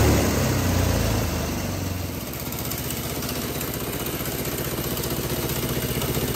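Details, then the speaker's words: GX200 Honda-clone single-cylinder go-kart engine on hydrogen with pure water injection: after a rougher start settles into an even, steady beat about four per second, no misfire; much smoother than pure hydrogen, especially at operating temperature. "Okay, so that's the hydrogen engine running now with the pure water being injected in. Uh, as you can tell, the engine seem to run a lot smoother there, especially when I got it up to operating temperature."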